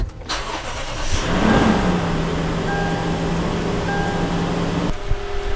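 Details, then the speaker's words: Lexus GX 460 V8 after fixing a cylinder 2 misfire caused by oil in the spark plug well from a cracked plug seal: quick crank, then a steady, even idle with no stumble and no check engine light after 5 minutes. "I'm going to let this run for about 5 minutes and see if this thing pops up with anything so coming back okay so it's been about 5 minutes now and no check engine light"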